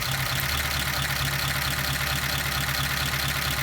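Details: 1953 Pontiac Chieftain idling after the number 2 spark plug wire is reconnected: steady, even idle with a smooth low beat and no misfire stumble; rpm comes back up and all cylinders are firing; normal idle.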